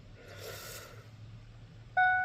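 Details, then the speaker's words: 2003 Ford F-150, towed in with a flat battery after sitting about 8 months, cab during code scan with key on: quiet cab, then a clean steady electronic chime that keeps sounding; normal seatbelt reminder chime. "Wow, that's really annoying Ford. I'm not going anywhere yet."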